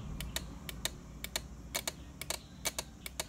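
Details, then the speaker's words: Yamaha Mio M3 scooter with a new battery that keeps draining although charging checks good: with the ignition off, sharp dry clicks about once a second but uneven from a relay wired straight to the battery; fix is to feed the relay from the brown ignition wire. "Jadi otomatis posisi kontak mati pun relay ini tetap ngisap setrum. Jadi kalau sore di full pagi dia ndak keluar arus di aki. Itu karena ini."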